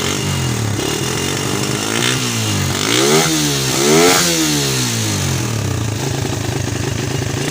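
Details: Suzuki Satria FU with charging fault, running with the battery disconnected after refitting the charging parts: small engine runs evenly, revved twice and dropping back to a steady idle without misses; no spare parts replaced; normal running.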